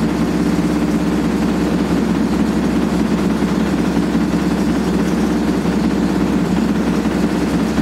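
Loud continuous roaring rumble through the spin with a coarse, gritty edge, typical of badly worn drum bearings.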